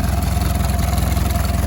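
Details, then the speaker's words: Mercedes 240D W123 diesel bought at auction, first start after sitting: it idles with a low, heavy, uneven, shaky clatter and sounds horrible unless the throttle is held down. There is smoke, a suspected exhaust leak, and a loose air cleaner housing missing its nut. "some smoke coming up through the back there but it's running right now that sounds horrible if you don't hold this down"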